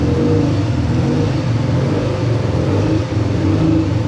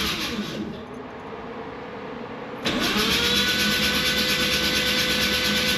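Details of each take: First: A freshly rebuilt naturally aspirated 13B rotary in an RX7 FC, after a TPS and idle system adjustment, holds a steady, even burble at idle on its own with no stumbling or hunting. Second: Freshly rebuilt Mazda RX7 FC 13B NA rotary, first start attempt, in neutral with clutch bypass: steady, fast cranking whir that never catches, oil pressure building to about 60 psi while battery weakens; prolonged cranking, no start.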